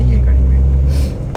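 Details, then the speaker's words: Maruti WagonR K Series on test drive after front caliper bushing replacement: only low even road and engine rumble, no knock or rattle from the front; noise gone, cabin silent. "Caliper pushing के बाद पूरा नॉइस चले गया है अभी गाड़ी से। केबिन एकदम साइलेंट हो गया।"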